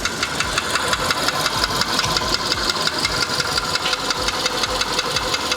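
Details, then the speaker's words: Skoda Fabia 1.6 CFNA engine, no stored fault codes: sharp regular metallic knock about twice a second at idle; mechanic judges it clearly piston knock, to be checked by endoscope through spark plug holes. "Ну, сейчас будет, как я предполагал, например, это поршневая. Явно звук поршневой."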